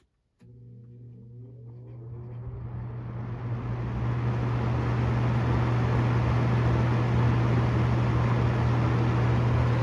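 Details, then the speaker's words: Galaxy 6708 fan, first run after hot-gluing the grilles to stop rattling; hum rises smoothly to a steady whoosh, no rattle, only motor noise; shaft needs thrust washers, rear bearing keeps going dry of oil, spin-down a little choppy; normal running. "no more noise this is the motor making noise"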